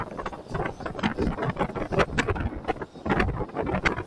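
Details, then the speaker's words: Polytron Fox R electric motorcycle at 10,000 km on a very rocky, uneven road; irregular body rattle bursts with each bump over wind rush, no motor tone. Low motor vibration but loose body; the number-plate bracket was earlier found to be a rattle source. "Bagaimana suara Getaran dari si motor Polytron Fox a walaupun di awal gua bilang dia minim getaran itu adalah minim getaran mesin tapi getaran bodyi ini cukup"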